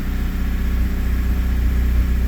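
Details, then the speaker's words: Honda Prelude after intake reassembly idles noticeably fast and slightly uneven, possibly from the high-idle warm-up screw. A vacuum leak is suspected. "it seems relatively consistent doesn't sound to be running very well but there's no telling why"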